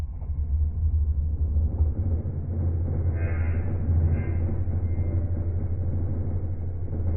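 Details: Single-phase AIR induction motor with large start capacitor on a three-wire soft starter: steady coarse low hum with a buzzy edge, absent on direct mains; the starter isn't fully open while running, chopping the sine wave; fix: bypass it after ramp-up.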